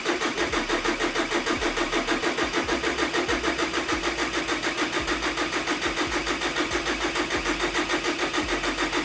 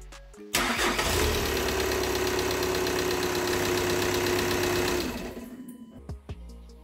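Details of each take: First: ihr könnt auch hier von dem Common Rail und den Trail einmal den Sensor hier einfach den Stecker einmal runter nehmen dementsprechend wird das Fahrzeug jetzt nicht starten sondern nur Orgeln Second: VW T5 2.5 TDI just after turbocharger replacement and oil priming by cranking with the rail pressure sensor unplugged, now reconnected. The diesel catches instantly and holds a steady idle; normal start and idle.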